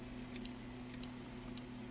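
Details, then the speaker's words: Completely dead Tandy TRS-80 Model 100 during troubleshooting: a logic probe on the data bits gives short high beeps in irregular bursts over mains hum. Data is toggling; the ROM executes partway (speaker pops on reset), so the processor is trying to run. "so then i grabbed my logic probe and i was checking some data bits like here"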